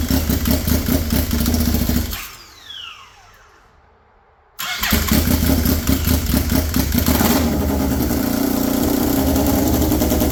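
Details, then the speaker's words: Polaris RZR XP with a swapped-in Yamaha Nytro triple engine, straight-piped, first start after wiring: loud raw idle dies, refires at once and settles into an even, crackling triple rhythm; normal idle. "I kind of like the sound of it you know it's not super loud being straight piped it sounds awesome yes it does"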